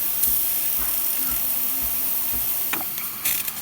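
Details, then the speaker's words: Breville espresso machine after no-flow group head repair: steady high steam hiss after water purge, faint pulsing pump kicking on, steam pressure rising; normal steam output. "You can hear the pump kicking on, and you can see the steam pressure increasing with time."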